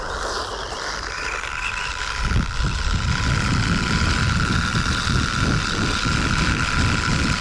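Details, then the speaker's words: Sand Master 2.0 RC buggy with a new pinion and spur, gear mesh mods, a temporary GT2 motor and a grease-packed gearbox: a steady thin whine over a gritty drivetrain rumble. Noisy transmission, cause not found. "I honestly don't know it's a bit of a head scratcher I mean it drives fine it's just on a noisy side"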